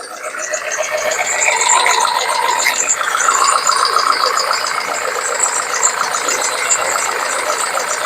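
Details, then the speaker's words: BMW E91 after cam cover crack sealed with Tiger Seal and reassembly, all coils connected: uneven, stumbling idle with heavy shaking, engine light on but not flashing; misfire, owner had wondered about a coil wire. "Right, we are misfiring again. So we've only got an engine light on now, it's not flashing, but you can see the amount it's shaking, it's still misfiring."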